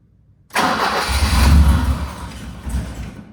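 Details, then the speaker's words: 1985 BMW E30 318i manual that only starts when the fuel is primed: the starter turns and the engine catches for a couple of seconds, then fades out, running on residual line pressure. Insufficient fuel pressure. "I think that's just residual pressure in the line it also will not keep running if there's no fuel pressure well not no fuel pressure but not optimal fuel pressure"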